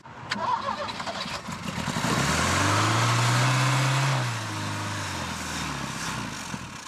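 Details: Ford Capri with Pinto engine: long cranking, then it catches and flares up before settling unevenly. Hard start, said to be from flooding.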